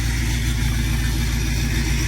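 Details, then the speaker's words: Diesel truck, cold-started around 19 degrees, a little smoky, now warming up: even steady idle throb, no misses or knocks; healthy. "A little smoky bear this morning. Just a little bit. Yeah, she's warming up now."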